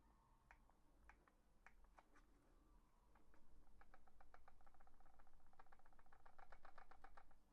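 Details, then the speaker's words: Asus Keris 2 Ace mouse after two months of use: its plastic shell creaks and presses inward when handled, with small clicky rattles inside; the rattle may be the encoder or the battery, cause unknown. "почав скрипіти пластик плюс місцями він просто реально прожимається туди всередину"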